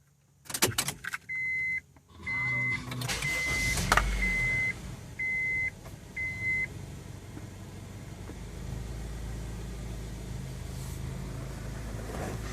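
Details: 1999 Honda CR-V first startup after battery disconnect to clear check engine codes: door chimes, engine catches, idle dips very low then climbs back, with some roaming idle; idle issue and misfire.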